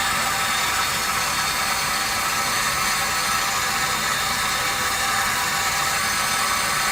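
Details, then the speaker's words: Poly SM15 water meter under flow, about 74 dB on max hold: steady even whirring hiss with no knocks or surges; normal running meter noise. "yeah we get about a 74 on that one"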